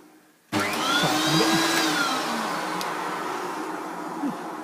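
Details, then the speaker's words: Hoover vacuum cleaner with intermittent failure to start: switches on with wavering whine sliding up and down before settling unevenly; owner suspects a misfire, possibly clogged with debris; spluttering run. "it's got a bit of a misfire I think"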